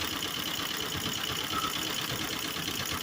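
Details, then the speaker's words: 1951 Willys CJ-3A jeep idling with an uneven stumble and hollow lope. Shorting plugs 1 and 2 slows the engine, but 3 and 4 have spark and no drop; compression good and valves set. Misfire, cause not found. "I'm going to short out number one spark plug and you hear it slows out I'm going to short out number two got a heck of a spark shorts it slows it that number three number three is got a spark but it doesn't slow it down"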